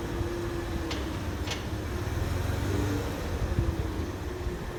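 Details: Mercedes W163 ML320: quiet running with a faint, thin intermittent squeak and a couple of sharp clicks; cause unknown.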